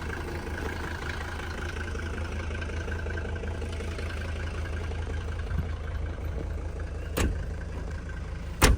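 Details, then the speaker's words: 1985 Mercedes-Benz W123 300D manual, OM617 non-turbo diesel, 298k on clock, cold start after glow plugs: steady, even diesel clatter at low idle with no misses or knocks, minimal smoke; healthy idle. "the car is cold now but it should at a be a r day and yeah very very sweet"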